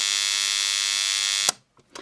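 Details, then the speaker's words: Cheap AliExpress USB charger with its smoothing capacitor desoldered, under test: harsh, high, steady electrical buzz for about a second and a half, then cut off, as the arc apparently punches through the insulation inside the transformer; the arc seems not to be DC. "I was expecting it to just Arc through here but I guess it must have punched through um punched straight through the engine inside the Transformer again"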